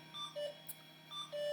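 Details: 20-plus-year-old Slot 1 PC booting Windows XP: short high beeps of uneven length repeat about every half second in a quiet room; error beeping, cause unknown.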